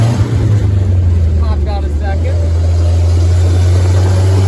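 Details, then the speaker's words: Willys CJ3B with a replacement F-head engine, original air cleaner fitted, fast idle that needs linkage adjustment: deep, steady rumble with a coarse, tractor-like exhaust bark; the old, worn muffler barely quiets it. "okay it currently sounds like a tractor with that old uh muffler on it so I'm going to see if about getting a different Muffler"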